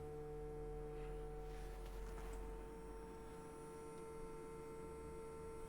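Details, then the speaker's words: Pirate3D Buccaneer 3D printer production sample, powered on after unboxing: steady electrical buzz with fixed mid-pitch tone over a low hum; source of buzzing undetermined. "okay right it's making noise that's very flimsy as well that's like super flimsy okay so it's making a buzzing noise I if you can hear that"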